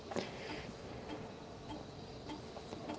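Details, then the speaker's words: HD floppy drive in a vintage Mac, formatting retried with a different drive cable: faint ticking then a quick firm clack and whir as the disk ejects cleanly; strong, normal floppy eject. "And it's ejecting just fine out of this thing. [laughter] You can hear it. It's got a nice strong eject on it."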